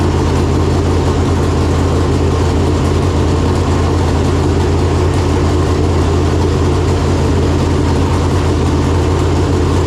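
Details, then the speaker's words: Freshly installed 568 cubic-inch big-block Chevrolet in a Chevelle with Jerico 4-speed manual, first start after install. Deep, steady, lopey idle with even low rumble, no ticking or knocking; normal idle. "Oh my god, that's so loud. Sounds pretty American to me."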